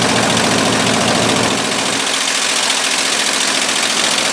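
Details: 1958/59 Ford F600 grain truck with a 330 V8, long unrun, after the carburettor float was refitted: a steady, even V8 idle with no knock or miss, fuel supply now working.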